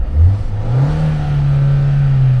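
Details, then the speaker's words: Ford Fusion with a suspected cracked head and no coolant in it, check engine light on from running out of coolant: quick throttle blip settling into a steady, smooth hum. It runs well and holds temperature only with the AC on. "Runs really good. Heats up and stays right there. Absolutely nuts."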